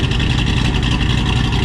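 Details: Ford GT500 supercharged V8 after resealing the low-vacuum bypass, refitting the serviced alternator and cleaning the air filter; charging, fuel trims and battery voltage normal; loud, even, deep idle without misses, ticks or hiss: normal idle.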